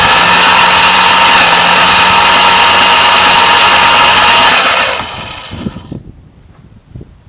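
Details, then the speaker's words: 1973 Plymouth Duster slant six, sat in a field 20+ years, cranked via a substitute starter solenoid with all spark plugs out, no compression: fast, even starter whir, no knocks; turns over freely. "all the spark plugs are out so there's no compression right now so it is turning over"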